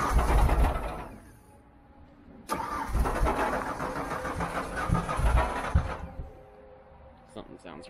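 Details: 1995 Ford F-150 with the 300ci inline-six, three-week-old starter, one-week-old battery and a Magnaflow muffler: cranks, catches and settles into an uneven, lumpy idle with irregular pulses; running rough at start-up, cause not pinned down.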